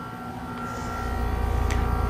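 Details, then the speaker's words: 2025 Trane XR14 1.5-ton heat pump running. An even compressor hum and steady fan whoosh building to a smooth, settled run. Normal running. "Um, so here is the 2025 1/2 ton train XR14 heat pump running."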